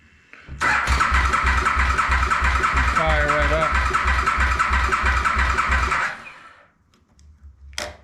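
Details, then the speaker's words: 2008 KTM Super Duke 990 after reassembly, owner notes it seems to have really good compression: starter spins briskly with an even chug of compression strokes for about five seconds, never catches; cranks but won't start. "I'll be happier once I hear it start but it turns over it sounds like it's got really good compression"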